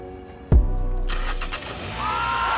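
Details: 2013 Hyundai Sonata with a hard start and P0087 code from the high-pressure fuel pump losing priming pressure, started after the repair: starter barely turns before it catches and settles into a steady idle; normal quick start.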